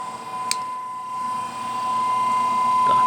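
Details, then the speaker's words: Mueller clothes spin dryer that only hummed and would not spin, tested after repair and reassembly: steady high motor whine building smoothly as the drum spins up; now running normally. "na tomada é conectado só fechar a tampa o e começou a rodar"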